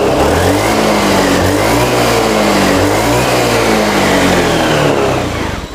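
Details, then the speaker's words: Honda Beat scooter that still misfired after rotak replacement, running with a workaround for a failing fuel pump; revs climb and fall smoothly with throttle, no stutter or misfire; normal revving. "normal nggak ada brebet atau apa biasa kan kayak limit gitu udah brebet"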